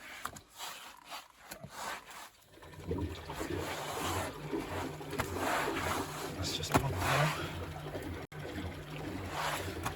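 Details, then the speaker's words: Bosch WFP3300 washing machine on first test wash, motor turning anti-clockwise: low steady drain pump hum under gurgling water, faint brush ticking; drain pump working normally, though puddles found at the back. "anti-clockwise motor drain out pump seems to be working puddles are bound at the back here"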